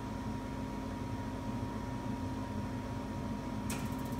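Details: Reznor UDAP45 gas unit heater on a heat call, after the igniter rod was repositioned to fix inconsistent lighting: a steady exhaust blower hum with a faint constant whine and a click near the end. The blower runs normally at startup.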